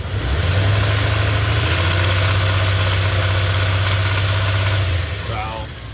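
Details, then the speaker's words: 1999 Dodge Dakota R/T, 5.9 L Magnum V8, after Liqui Moly and half a bottle of Lucas engine restore in the oil: steady idle with light, uneven valvetrain-type ticking chatter, no improvement; cause unknown. "honestly it doesn't sound any different it's uh still chattering away"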